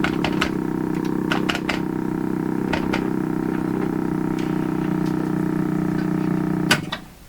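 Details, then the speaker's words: 1940s Canadian Red Cross tube radio after replacing three wax capacitors and one electrolytic: steady hum with irregular popping bursts about 4/sec cutting off abruptly; motorboating, suspected bad solder joint or capacitor mistake, unconfirmed. "tomorrow I'll figure out what the motor boating is and we'll try to actually finish this guy off tomorrow"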